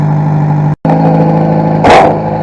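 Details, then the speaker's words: 1992 Toyota Tercel, 4-speed manual, freshly reinstalled engine with downpipe, block-off plate fallen off under the engine bay: loud raspy blatty idle with a brief rev, much louder than usual; exhaust leak. "It's kind of loud because that block-off plate fell off in under the engine bay. So it sounds kind of weird right now."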